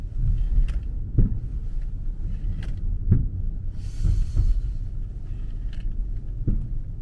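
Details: 2009 BMW 5-series, about 30,000 km, driving with thumps when turning: dull, irregular low thuds every second or so over soft road rumble, caused by loose cargo knocking around in the trunk.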